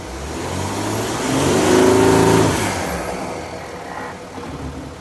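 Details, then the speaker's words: VW Touareg after lift kit, subframe spacers and snorkel install, revving with the mass airflow sensor now plugged in correctly: clean rev climbing smoothly to a peak and falling back, no hesitation or flat spot, healthy. "that's what it sounds like when the mass airfow sensor actually works"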